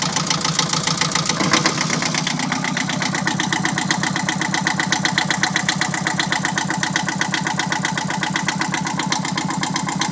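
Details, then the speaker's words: Yanmar 2GM small twin marine diesel on 1981 Nor'sea 27 after bleeding air from fuel system post-winter. Even steady chugging settling to smooth idle, no misses or knocks; running again. "That'll come later, but at least I kind of did some stuff to try to get it starting again, and I'm kind of happy to hear it running again."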